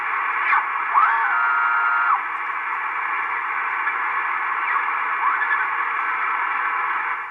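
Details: Estate-sale Icom IC-720A HF transceiver, first power-up before restoration: on 20 meters steady band hiss with faint whistling carriers drifting in and out, weak but receiving; receiver working normally.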